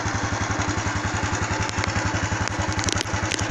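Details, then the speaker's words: Honda Wave 110i that would not start, after fitting a new genuine fuel pump; steady, even putt-putt idle at about three and a half beats a second with no misses or stumbles, starts immediately, running properly. "ครับผมติดมือดีครับผมบ่มีสะดุดครับดีครับเดินเบาครับ"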